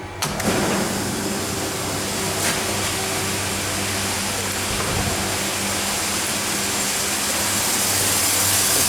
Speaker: power's back on so it's just fired up so that sounds good we'll run the chilled water pump up